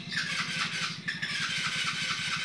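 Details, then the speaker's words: GD110 motorcycle that used to run and cut out: the corroded positive wire at the charger regulator was replaced with an extra wire, and it now runs with a steady, even putter and no cutting out. "so ito nilagyan natin nito nagdiretso na yung andar niya"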